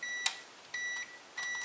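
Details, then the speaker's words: Multimeter continuity test on a power strip/surge protector during a fuse repair: three clean steady high beeps as each outlet pole is probed, confirming the outlet is connected and working. "aí vai o outro polo e o direito ó beleza confirmando que tá funcional"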